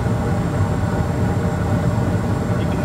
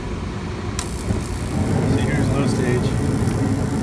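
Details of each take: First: Bryant package unit gas furnace after gas valve replacement, two-stage jumpered to high fire: steady, even low roar with no flutter or surging; healthy burn. The old gas valve wasn't putting out enough gas. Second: Bryant (Carrier) gas package unit, two-stage, on low fire: steady low rough buzz under the burner roar; flame rectification weak on low stage, fine on high, flame sensor change didn't fix it, suspected faulty gas valve.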